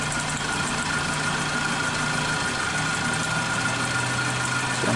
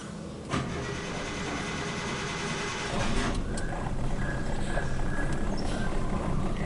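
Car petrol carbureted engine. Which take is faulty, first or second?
second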